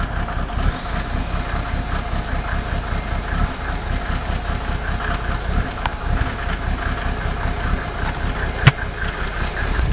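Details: Mercedes OM603 diesel, cold: loud lumpy idle with uneven low thumps and stumbling beats, missing on some cylinders; smoke drops only with injector lines 2 and 6 cracked, glow plugs tested fine, still rough warm; cause unconfirmed.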